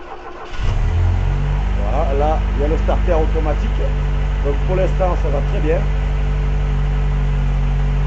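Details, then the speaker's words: Renault 17 TS with rebuilt Weber 32 DARA 4T carburettor and automatic choke, first start after refit without air filter: cranks, catches quickly, settles to steady even cold fast idle on all four cylinders with intake air hiss; normal idle. "Déjà elle a retrouvé ses quatre cylindres. Il y a plus de bruit depuis il y a un bruit d'air vu qu'il y a pas le filtre à air. De suite ça tourne mieux."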